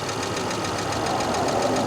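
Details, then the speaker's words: 1997 Volvo 850 T5 turbo abandoned and not run in years, first start on old battery without fuel filter fitted or starting fluid, varnish smell from exhaust: steady, even idle with light busy ticking on top, oil-related per owner; normal idle. "it fired right up Mike like it was it's like it's been running this whole is that sound normal yes"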